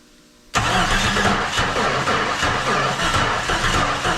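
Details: 1995 right-hand-drive Jeep Cherokee XJ with a used engine from a tree-damaged XJ, never heard running before, on first start: it catches and runs rough with an irregular, loping gallop; no fuel pressure at the rail Schrader valve.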